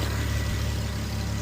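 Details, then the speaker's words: Infiniti FX idling steadily after repair: smooth, even low rumble with no knocks or misses. Earlier no-start with U0101 loss of communication with TCM was caused by an aftermarket bolt preventing a proper ground. "Guess what, guys? We got the car running and you won't believe what was causing the problem."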